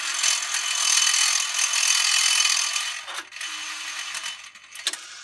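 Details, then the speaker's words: MMCD-3 CD changer found in a junk pile, WD-40 already applied to moving parts: loud, harsh rasping grind for a few seconds as the disc swaps, then faint clicks; suspected fault in gearing or motor; gear grinding during disc change. "The issue that I have is something within the gearing here or the motor. When it switches the disc, it makes a sound, and it's pretty horrible."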